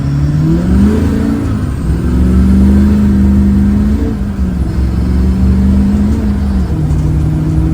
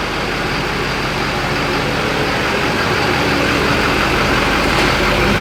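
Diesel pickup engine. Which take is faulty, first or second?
first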